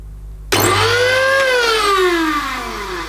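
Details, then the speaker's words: Electrolux The Boss Super Lite compact upright vacuum, bought used and run without a filter: motor whines up briefly, then the pitch keeps sagging as if struggling. Owner suspects the motor is clogged with debris. Abnormal motor noise. "I think we can safely say probably not sounding as it should. Yes. Right. Now that could be just because, fingers crossed, that the motor is so clogged up with stuff because it's been used without a filter."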